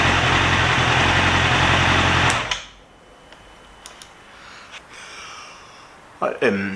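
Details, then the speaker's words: Yamaha YZF-R6 after replacing broken ECU connector, warming up: steady, even idle for a couple of seconds before shut off, no hunting or misses; no engine light or error code, healthy. "I switch it on um I let it warm up for a while"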